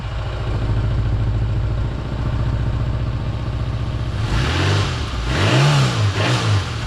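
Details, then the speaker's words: Holden Barina ML, runs rough especially after sitting; plug done and carby bolts tightened to rule out vacuum leaks. On the start test it revs unevenly with a slight stumble after a backfire; owner suspects exhaust gases feeding back through the EGR reed valve. "Yeah, actually it's performing pretty well, but it's a little bit rough"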